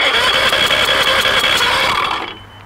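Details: Mariner 150 outboard with water in the cylinders and cloudy fuel, cranked on a good cylinder to show normal compression: steady starter whir with even, strong pulses about five a second; healthy, unlike number four.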